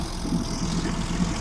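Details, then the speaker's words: Mercury/Tohatsu 25/30 hp EFI outboard fitted with Honda big tiller, after the install: low, steady, even idle just after starting, no misses, knocks or rattles; runs smoothly. "As you can see, she runs. This is after the repair."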